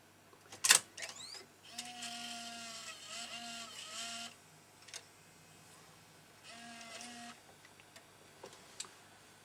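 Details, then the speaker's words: Sony DSR-570 camcorder, opened up during a tape-curl guide alignment: short steady-pitch motor whirs and crisp clicks as the reel position adjusts for full-size tapes and the tape threads. Loading is normal. "it has to be able to adjust the position of the reel so i'm just checking that that still works all right and it does"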